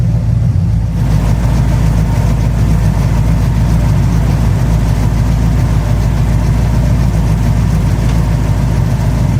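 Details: 1969 Plymouth Fury III V8 idling during a 30-minute run; transmission still leaking: deep, steady burble with an even unbroken pulse, no knocks or misses; normal idle.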